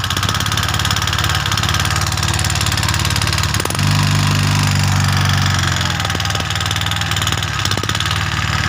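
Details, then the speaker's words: Suzuki Skydrive 125. Oil is not reaching the cylinder head, so it idles very rough with a fast, uneven dry tick from oil-starved rockers and smoke from the cam chain area. "hidupkan nah seperti itu ya Suaranya sangat kasar ini ngebul dari yang keteng atau dari ruangan keteng itu naik oli"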